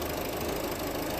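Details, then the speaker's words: Diesel car just after a fuel filter change, first start after running with no fuel: busy clatter with a brief uneven, stumbling miss from air left in the fuel line, then it settles to run normally. "there is probably an airlock in front when we started it earlier on with no fuel in it but let's see how she goes okay a little bit of a miss there"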